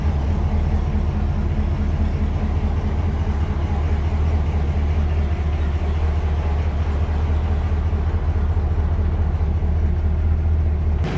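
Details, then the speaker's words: 1955 Ford Y-block V8 (Crown Victoria) after replacing 4 bent pushrods and setting valve lash, air cleaner on, walking around outside with hood down: deep even rumble, exhaust audible, front end much quieter than before, no top-end ticking. "walking around it outside with the hood down the air cleaner on it is much quieter than it was before I mean you hear the exhaust but up front here it is a lot quieter than it was"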